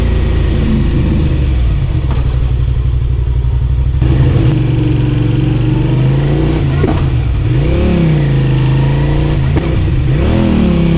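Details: Suzuki SV650 V-twin motorcycle revving up and down: rough stumbling beat that breaks up under throttle; engine misfire, cause unknown.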